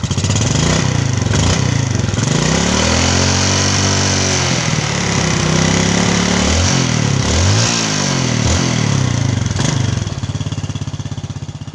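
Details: Yamaha Jupiter Z Robot motorcycle single-cylinder engine, previously rough-sounding, after its one-way starter clutch was replaced with a Vega ZR part; revs rise and fall smoothly with throttle, no rough rattle; normal running.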